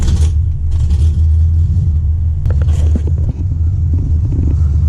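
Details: 1996 Impala SS with LS1 swap, during IAC relearn after resetting codes: deep, steady V8 idle rumble with slight unevenness and a hunting feel; IAC still cranky, owner suspects the valve is shot.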